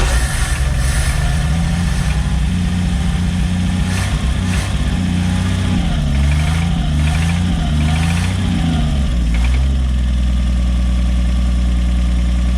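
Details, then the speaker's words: 1965 Chevy G10 van engine, first run after sitting about 25 years, oil put in cylinders, smoking heavily: rough low idle with a dull, uneven knock under the exhaust through a rev blip, seemingly toward the rear; bad engine knock, unhealthy engine suspected. "you hear that knocking that right there know that knocking when it was running the motors got a bad knock and it sounds like back here towards the back"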